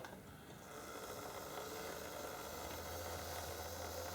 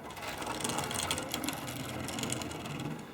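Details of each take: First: Old Tri-ang TransContinental Pacific loco motor on the lowest setting of an old Meccano controller, wheels clear of the ground: soft, even whir with light fast gear patter at steady pitch; normal running order. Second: Old Tri-ang Transcontinental Pacific model locomotive after correcting upside-down connecting rods, running on test layout with old-style controller; irregular rapid rattling and scraping clicks over light whir, rough uneven running, owner suspects oversized wheel flanges or possibly damaged motor.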